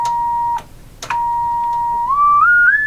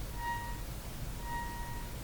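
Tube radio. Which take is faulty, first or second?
second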